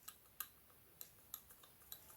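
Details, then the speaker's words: BMW F10 530d N57 diesel, about 165,000 miles, drivetrain fault: removed valve actuator shaft worked by hand gives sharp, irregular metallic ticks as it rattles and catches instead of releasing freely; worn shaft, mechanical not electrical fault. "I mean, if this shaft is good and new, you will never hear that rattle. So this is worn. And the problem here is simply mechanical rather than electrical."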